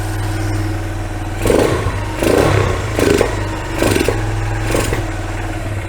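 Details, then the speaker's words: Kawasaki Bayou 220 ATV, abandoned non-runner, fuel poured down temporary vinyl fuel line; single-cylinder thump starts on choke, holds steady low idle with brief surges as choke is backed off; runs smoothly until fuel runs out. "choke on oh that sounds good"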